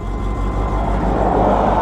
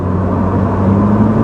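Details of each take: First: Pontiac Sunbird convertible on a test drive: it fires right up but then spits and sputters with a rough, stumbling idle, uneven low thumps and missed beats. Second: Pontiac Sunbird after repair, taking off under full throttle up to 50 mph: a smooth, even drone rising slightly in pitch, no stumble or popping. Normal acceleration.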